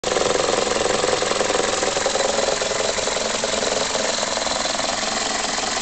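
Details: 2004 facelift Toyota Corolla E12J, 1.6 VVT-i 3ZZ-FE petrol, idling unevenly with a lumpy, wavering beat and no clear knock; rough idle, cause unknown.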